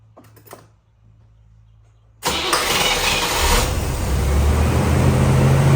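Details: 1981 C3 Corvette, Small Block Chevy 350 V8, started after installing new 8mm pre-cut spark plug wires; quiet, then fires and settles into even steady lope with no misfire stumble — normal running.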